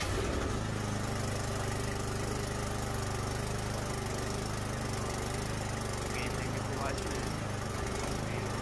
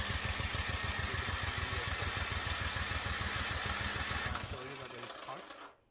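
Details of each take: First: Craftsman 24-inch electric-start snowblower that would not start after sitting all summer, running after carburetor cleaner was sprayed into the spark plug hole: steady small single-cylinder putter, even beat about one per second, no misses or surging. Normal running. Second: Craftsman 24-inch electric-start snowblower left unused all summer: it cranks steadily but won't start despite spark and fuel and a new spark plug. Carburetor cleaner got it running without removing the carburetor.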